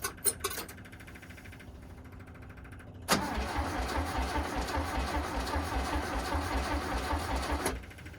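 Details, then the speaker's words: VW Bus engine neglected about 30 years, removed, cleaned of mouse nests, cranked via improvised starter switch with fuel: about 4.5 seconds of rhythmic cranking, roughly 2.5 beats a second, one puff, giving it gas, no catch. Crank, no start. "All right. Power back again. There was a puff, so it feels like we have some variety of spark."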